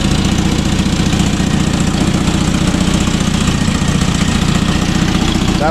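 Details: Toyota RA40 22RE, first start on a frosty early morning after wiring the cold start injector circuit from the starter solenoid: engine catches and settles into a steady, even idle about four beats a second; healthy cold start.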